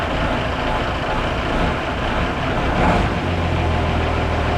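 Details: Mercedes diesel just restarted after fuel-injection pump work, with timing set slightly earlier: a steady, even clatter with a deep low rumble, no misses or knocks. It idles cleanly and sounds healthy.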